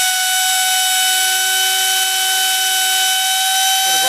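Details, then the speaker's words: Trash-picked Hoover Elite carpet shampooer, motor previously smoked, run partly assembled without fan load: piercing steady high scream with harsh fizzing, brushes smoking with fire; brushes arcing badly, possibly fitted on wrong side. "for a second been screaming it's got Fire coming out of it oh the brushes those brushes are smoking"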